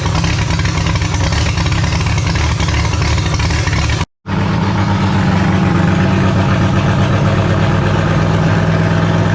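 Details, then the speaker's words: Holden grey motor in a HAMB dragster with triple Stromberg carburettors being synchronised: loud, lumpy loping idle with a brief cut-out; the big cam overlap makes it hate idling below about 1600 rpm and pump raw fuel out the exhaust. "as you notice with this thing it's a real pig it doesn't really like idling um anything under sort of 1600 uh rpm um with the overlap on the cam it's just pumping raw fuel out the exhaust pretty much when it's sitting at idle"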